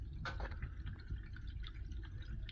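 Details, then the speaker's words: Geothermal unit water loop in a renovated apartment building, water turned back on after replacing 2-inch supply and return valves: gurgling, trickling, bubbly splashes as trapped air purges through supply and return toward the boiler-room vent. "So I got them on. You hear the air purging, basically going through the supply, all the Geo units, and coming back in the return."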